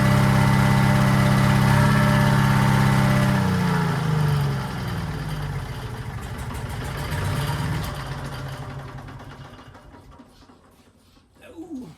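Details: Detroit 271 two-cylinder diesel in a 1940s Allis Chalmers, first start in many years: a few seconds of even steady chug, then shut off and winding down; motor sounds good, smoke suspected from a problem injector.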